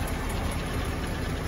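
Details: Willys L134 flathead Jeep after a head gasket replacement and a 4–5 mile drive: low, steady idle rumble, even and unbroken with no knock or miss; running healthy.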